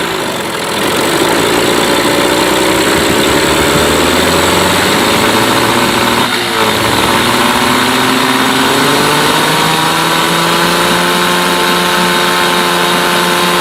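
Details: Mercury 8HP two-stroke outboard, sat unused for an unknown time, in a water tub on its first test start, restarting after a couple of pulls; settles into an even, steady idle with no misses or surging, pumping out water; normal idle.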